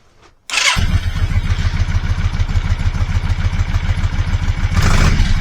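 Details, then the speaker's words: Motorcycle engine on a stone-cold start after a repair; catches with a thump, then lumpy uneven low beat stumbling when revved: misfire under throttle, owner suspects due to cold start. "now that sounded better on the startup it's still not keen on you revving it it seems to sort of misfire them but that's probably because it's a stone cold start and C engines don't really seem to like that"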